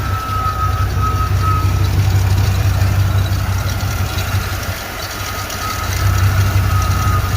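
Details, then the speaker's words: Throttle-body-injected Chevy 350 in a K1500 that sat almost a year: a sharp squeak chirps about three times a second over a low idle, seemingly deep in the front of the block; it has done this for years, and owner suspects a lubrication problem. "Chevy guys what what is this awful horrible squeaky noise uh is it a bar is there an oil Galley plugged like like why why are we not lubricating something is what I'm concerned about"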